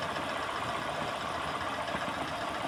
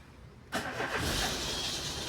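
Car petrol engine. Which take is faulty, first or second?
second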